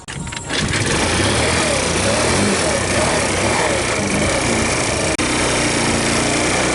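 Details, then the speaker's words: Tao Tao Thunder 50cc scooter with big-bore piston, 5400 km, just restarted after valve adjustment: buzzy single-cylinder idle hunting up and down; idle lowered via idle screw, owner suspects valves still out of adjustment; rough running. "So it's running, but it doesn't feel like it's running good. I brought the idle down a little bit with the idle screw, maybe that's why, but I think the valves are still out of adjustment."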